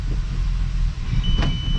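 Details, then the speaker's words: 12v VR6 Jetta wagon after refresh with clutch work done, car raised with wheels off the ground, no load: steady low drivetrain drone in second gear, no clanks or grinding. Normal gearbox running in second. "third fourth reverse nice and it feels smooth i don't hear any like clanks any uh"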